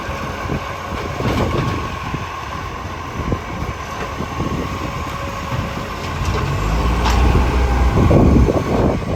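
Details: Mitchell garbage truck 1040, diesel at idle: uneven, rapid puffing tick about three per second over the rumble; exhaust leak.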